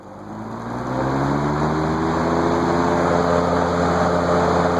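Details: GE 20-inch plastic-blade box fan stepped up through its speed settings: a low blade hum climbs as it spins up, then holds a steady, even whoosh on high; the fan is running normally.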